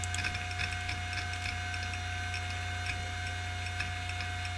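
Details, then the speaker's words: Old 1994 hard drive running on foam, powerful enough to shake the table otherwise, during a benchmark: quick uneven ticking, two or three a second, over steady spindle hum; normal, healthy head seek noise. "It's not as obnoxious as the 1 gig HP. It's also got a nice healthy click. Listen to that. And if it wasn't on this foam, it would be shaking the table."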